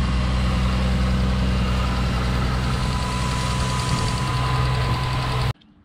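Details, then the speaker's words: Toyota Supra petrol engine at idle: a light, fairly regular tick over a steady low hum. Owner was told it could be a belt-driven bearing and plans to test by running with the belt off; not confirmed. "bonnet so when it was running yesterday I know it's a clicking ticking noise like tick tick and I've been told that it could be that bear in there"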